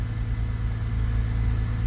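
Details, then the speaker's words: 2000 Honda Accord after throttle body work, before idle relearn: steady, even low idle with no stumbles; idling smoothly, no misfires. "Seems to be idling real smooth. Again, no misfires."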